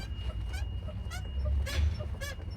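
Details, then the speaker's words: Daewoo Nexia front suspension: sharp rubbery squeaks about twice a second as the car rocks, from a lower control arm bushing on the second side; lever installed incorrectly, same as the other side. "этот свист, это опять та же резинка, блядь, что и с той стороны. Потому что неправильно установлен рычаг, блядь."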